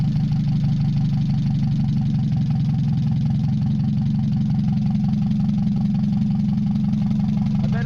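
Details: Mazda 626 first start after cylinder head reassembly, warming up, rest of exhaust not connected, oil overfilled: steady low drone, uneven wavering idle, loose vibration. Owner suspects O2 sensor misreading open exhaust, possibly old gas. Rough idle.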